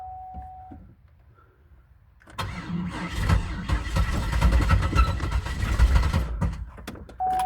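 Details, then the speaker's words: 2002 Buick LeSabre with intermittent engine knock: door chime, then about four seconds of labored, uneven cranking that never settles into idle; engine knocking and owner thinks it just locked up. "you can hear that's knocking oh I think it just locked"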